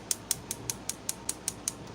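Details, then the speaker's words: Propane stove: the electric igniter, powered from a portable power station, clicks sharply about five times per second to light the burner; normal igniter operation. "Hear the ticking. That's all that's for is to light it."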